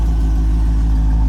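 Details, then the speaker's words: 1984 Corvette C4 Chevy 350, with Crossfire injection swapped to an Edelbrock carb and intake and a new radiator fitted: deep, steady, smooth V8 idle with no misses, knocks or ticks. Sounds good, though the exhaust is due to be replaced. "Sounds good though. Sound better once we get rid of that exhaust."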